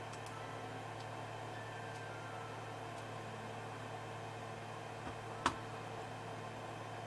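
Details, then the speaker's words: Creality Ender 3 with Micro Swiss direct drive, Z lead screw after Super Lube grease: the gantry moves with a soft, steady hum and only a faint tick, no squeak or binding. Quiet after the fix. "It's super silent and you don't hear the squeaking sound. I'm showing you this in real time so you can verify that there is no squeaking."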